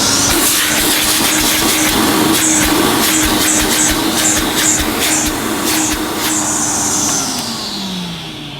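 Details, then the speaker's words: 1980s Hoover Sensotronic System 1 S3126 cylinder vacuum, single-speed 900 W motor, nozzle blocked off: steady motor whine holds pitch, then winds down smoothly, red indicator lit; suction modest but motor sounds sound. "you could see as I was blocking off the end not the greatest suction that you know I wasn't expecting it to be massive"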